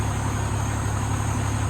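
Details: 2003 Freightliner Columbia, Caterpillar 3406 (6NZ) diesel, after dealing with the number 5 injector that caused yesterday's problem: steady, even, smooth low idle rumble at correct rpm, no misses or knocks.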